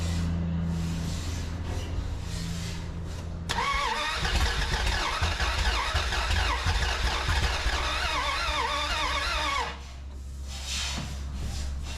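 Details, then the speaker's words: 1981 Dodge D150 after a no-spark problem, with the distributor reset and gapped to 0.008 using a feeler gauge, and little gas in the tank because the fill hose leaks. The starter churns, then the engine pops and spits unevenly but won't keep running. "oh I heard it popping and spitting"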